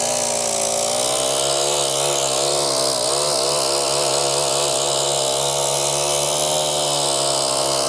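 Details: Brand-new Mantis 7940 tiller, just assembled, with fresh oil and fresh gas: the small engine buzzes steadily at fast idle, pitch wavering slightly but even and clean; healthy new engine running.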